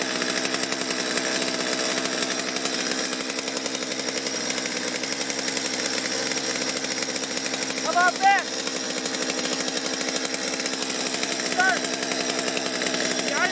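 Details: Stihl chainsaw that was hard to start and bogged, restarted on factory carburetor settings after a brief warm-up: steady high-pitched buzz with no bogging or surging, running cleanly.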